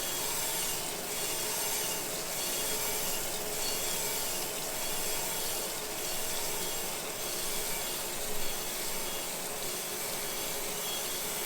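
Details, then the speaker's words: Crankshaft grinder on a '68 Firebird 350 crank main journal with coolant and steady rest: continuous dry hiss and rasp with slow pulsing; the light frying sound means the wheel is touching the journal. "as you're coming in a lot of times you can hear that kind of start frying i didn't hear it on that one you can tell that you're getting close"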